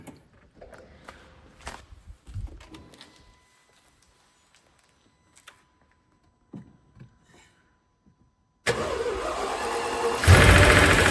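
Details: Mercedes CL65 AMG twin-turbo M275 V12 starting after new spark plugs, coil pack and voltage transformer to fix a misfire: quiet clicks and a chime, then it cranks, catches and runs smoothly, with the earlier ticking now gone.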